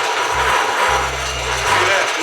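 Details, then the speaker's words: Bridgeport Series I milling machine head before repair: harsh gritty rasping with a low, uneven ratchet chatter as it runs up. It reaches only about half speed, then slows instead of going faster; keyway reported stuck, cause unconfirmed. "losing you know it doesn't go any faster it actually slows"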